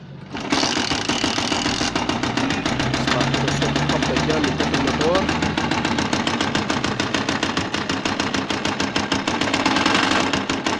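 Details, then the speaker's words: Tiger motorcycle engine running with a loud, hard knock every turn; suspected causes include broken timing gear tooth, worn crankshaft bearing, or worn magneto keyway or broken key, not yet confirmed. "طبعا ده صوت الموتور اللي كان معنا. كان بالشكل هو خبطة جامدة جدا في الماتور. بالشكل ده."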